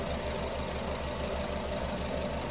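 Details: Car engine with coil-on-plug ignition at idle after the number 1 injector connector is refitted, ending an induced lean misfire: low, steady idle, even pulse about five a second, no stumble; all cylinders firing.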